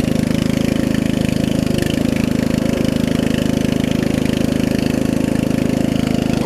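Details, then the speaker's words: Murray widebody riding mower with 16.5 hp Briggs single-cylinder engine, after new carb, fuel lines and valve adjustment: low, smooth, even idle, idles down really low, no stumbles; slight exhaust leak, runs well. "Good, it idles down too. It idles down real low. It idles down really low. Runs really good too."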